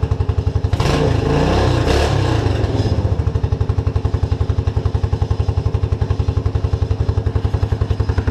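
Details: Suzuki King Quad 300 ATV after a fuel pump fix, still warm from running 30 minutes earlier: after a couple of pulls it fires and settles into an even single-cylinder thump with apparently no fuel starvation.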